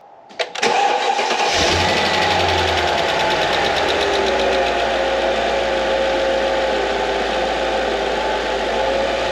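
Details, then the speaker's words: 2005 Mercedes CL55 AMG, M113K supercharged V8, abandoned in storage over 5 years, started right after its first oil change to check the level: starter cranks briefly, catches at once, settles to smooth steady idle, no knocks or ticks; normal start and idle. "then we need to start it up and see if uh starter see if the level is good"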